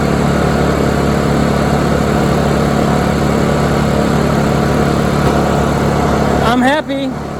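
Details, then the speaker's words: Honda EU2000i inverter generator, long-stored with old gas, running after carb cleaner treatment: steady, even hum at constant speed, no surging or stumbling; normal running, carburetor rebuild still needed. "very very happy well that's awesome I didn't expect the little bit of crap I did to fix it but it's fixed for now"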